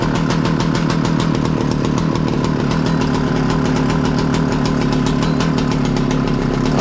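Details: 60-year-old Husqvarna 65 chainsaw, brittle aged part found, only semi-repaired: crisp steady two-stroke buzz at a fast even idle, no misses or surging; starts easily and runs well.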